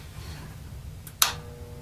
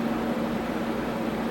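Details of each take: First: Tektronix 574 oscilloscope cooling fan at power-on: a switch click, then a faint steady 60 Hz mains buzz with no rising whir. The fan turns only about half an RPM on dry, seized bearings and needs lubrication. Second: Tektronix 574 oscilloscope cooling fan after lubricating its bearings with a few drops and reassembling: steady, even airy whoosh with a low constant hum and no ticking or scraping. Normal running after repair.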